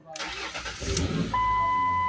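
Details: Ford Explorer that sat about five years and previously only cranked without starting: it cranks briefly, catches quickly and settles into a steady smooth idle, starting on the key. Normal start.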